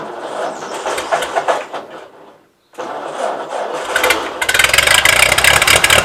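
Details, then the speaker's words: Ford 8N tractor (positive ground) that only buzzed when trying to start, after the battery posts were cleaned: uneven cranking, a short gap, then it catches and runs brisk and even with no starter buzz; it later stalled, possibly needing to warm up. "well it did stall out on me but i'll work on that later uh that might just be because it needs to run through a little bit and warm up but luckily that was an easy fix"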